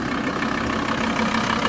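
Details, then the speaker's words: Diesel engine: even idle with a steady low rumble, no knocks or misses; engine running smoothly at rest. "But as you can hear, she's running."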